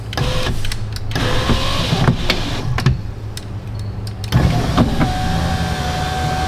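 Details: Ford Fusion front door after replacing the window regulator: short, even motor whines as the glass runs up and down and stops cleanly; the power window works smoothly and sounds healthy.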